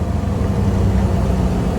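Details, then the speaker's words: 2004 Volvo truck RV hauler with a ZF Meritor autoshift, engine brake on high, throttle lifted on gravel and downshifting to sixth gear without wheel brakes: steady deep, even rumble with no misses; it slows the truck quickly and works normally. "not touching the brakes at all all the way down to sixth gear wow that sure slows you down quick"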